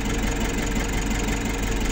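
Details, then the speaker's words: Nissan NV350 diesel after a heavy PMS, with coolant being topped up, has a steady, even, quiet idle clatter with no misses or knocks. "So ngayon okay na, one click, tahimik na tahimik ang andar oh."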